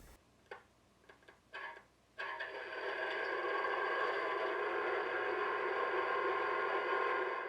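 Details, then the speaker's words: Athearn Genesis HO 57' FGE refrigerator car SoundTrack sound unit on DCC test track, wheel treads cleaned; scattered sharp clicks until tapped, then sound comes on steady and loud; intermittent, owner suspects electrical contact issue. "Even after cleaning the wheel treads, which were a little dirty when I took the car out of the box, I had to tap the car several times to get it to work. Otherwise, it would just make a clicking noise."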